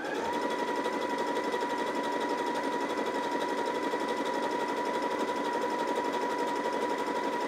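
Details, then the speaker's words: New Janome JW8100 sewing machine after re-threading and clearing a leftover thread strand on the bobbin: even, rapid stitching chatter about three stitches a second with steady motor hum; runs smoothly, earlier problem was operator error. "that sounds a lot better sounds very consistent i think it might have been that string that i left in there oh yeah definitely operator error much better the second time"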